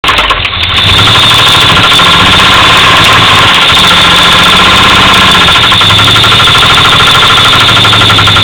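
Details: 1985 Pontiac Firebird V8 starting and idling: loud idle with a steady knock about three times a second; cause suspected, not confirmed.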